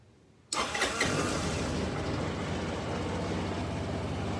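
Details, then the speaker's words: Kymco scooter that ran poorly, after the vacuum fuel pump was reconnected, the carburetor refitted and fresh fuel added: catches right away and settles into a steady, even idle with no stumbles; runs clean and much better. "and that sounds considerably better see if we can turn the idle down a little bit"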